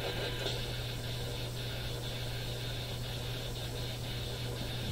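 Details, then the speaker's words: AM radio tuned near 680 AM at home: steady low buzz and hiss with faint regular ticks swamping the station even in quiet spots; radio interference noise, smart power meter suspected. "And you can still hear it, even in the quiet spots. How about right here? None of these are regular radio stations"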